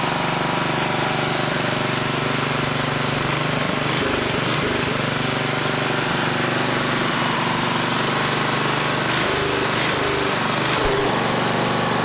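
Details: 1960s-era roughly 10 hp Briggs & Stratton (Hale fire pump), recently tuned with fresh oil and some old fuel: fast, even single-cylinder chatter about three beats a second, steady without stumbling; normal running, a bit smoky (owner suspects rings or old fuel).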